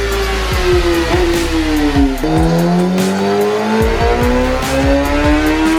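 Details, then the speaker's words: 2017 Kawasaki ZX10R inline four on the dyno, final full-throttle run after clutch readjustment, tune and quick-shifter setup. Screaming climb with a sharp pitch dip at each crisp upshift, straight back on throttle. Strong, healthy pull with clean quick-shifter upshifts. "so I'm going to go ahead and shoot the last final run so you guys can also get an idea how the quick shifter sounds now that we got that dialed in so here we go"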